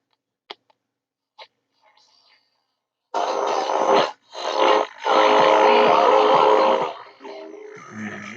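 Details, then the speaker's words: 1960s Philips "200" portable transistor radio during restoration, volume improved: station loud but harsh and fuzzy with gaps between bursts; distortion unconfirmed, restorer suspects a transistor stage, possibly biasing. "we also have um very distorted audio which will be one of these fellas I'd reckon in possibly in the biasing OR yeah"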